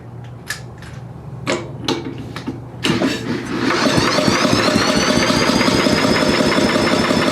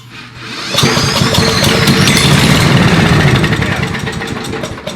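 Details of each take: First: Billy Goat leaf blower, Briggs & Stratton 9.5 hp, first start attempt with hastily rebuilt carburetor primed with fuel: a few sharp pulls then a whooshing spin, no firing. Cranks but won't start; owner suspects carburetor not feeding fuel. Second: Found older Billy Goat leaf blower with a Briggs & Stratton 9.5 hp engine and relatively low compression: it catches after a brief pull and settles into a steady, even small-engine run with no misses, a normal start and run.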